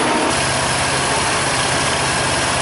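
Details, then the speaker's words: 2004 Mercury Monterey with newly replaced A/C compressor, after recharging the system, A/C on max: steady idle with an even hum and airy hiss, no knock or squeal; compressor running healthy and cooling. "New compressor, compressing away."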